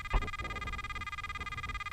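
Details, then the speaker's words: Pirate Pro metal detector with sensitivity raised from 5.5 to 7 and nothing near the coil: a rapid even pulsing tone, about ten beats a second, believed to be threshold sound caused by the high sensitivity. "making a very pulsing light sound and you can hear that so now let's see if we can adjust either our disc or our volume to try and get rid of that sound so I'm pretty positive that sound we're hearing is the threshold"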